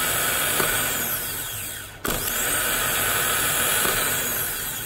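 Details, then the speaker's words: Powermaster 9103 small-block Ford starter, two months old, bench-tested with 12 volts after a new solenoid was fitted; high, even whir that cuts briefly and spins back up cleanly, Bendix coming out, no grinding; normal starter spin. "I mean it sounds good veneks comes out like it should"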